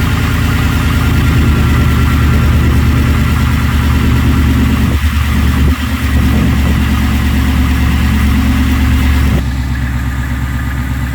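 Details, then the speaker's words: Gen 3 Ford Coyote V8 swapped into an F-150, after replacing the high pressure fuel pump with a Napa unit and priming: steady, even idle with a low smooth pulse and no ticking from the pump area; running healthy. "And let me try to crank it and see if it's gonna start. Obviously, I gotta prime the system a few times, and hopefully she runs."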